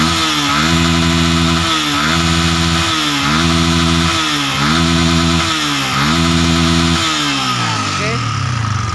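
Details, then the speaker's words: Yamaha Vixion New motorcycle, recently sleeved, bored and re-ringed, valves already tightened, blowing white smoke: harsh metallic rattle on five throttle blips that follows the revs; the rings are judged to be slapping, with a worn piston and loose connecting rod. "Ini kalau menurut saya ini sekernya ini ngeplek ya, seker ngeplek. Suara ngecer ini diakibatkan oleh seker ya."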